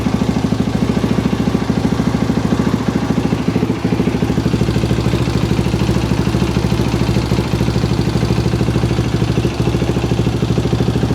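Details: KTM 525 (Outlaw) after fuel line clamps redone, no-run issue fixed, fuel tap on reserve: steady, even thumping idle at a constant rate with no misses or knocks; the single runs smooth and healthy.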